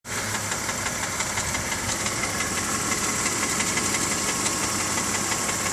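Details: BMW E46 325Ci with M54 engine, warm, ticking only at idle at the front of the engine: light, sharp tick about three times a second over steady idle; source unconfirmed.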